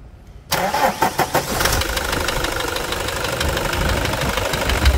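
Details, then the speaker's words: Toyota Hilux 2.5 diesel, reportedly overheated: after brief crank settles into fast idle with light steady knock over diesel clatter; injector first suspected, now con rod / con rod bushing suspected, unconfirmed – engine knock. "Então não é bico não, deve ser biela mesmo, deve ser. Biela, deve ser bucha de biela, guerreiro, então."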